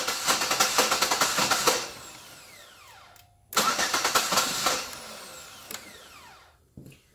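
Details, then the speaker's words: Pontiac G6 with intermittent no-crank/no-start and dying in rain, fuse 3 missing from fuse block yet running: two bursts of fast uneven chugging dying into a falling whine; rough start and running. "So you can see, it doesn't sound right, it doesn't feel right."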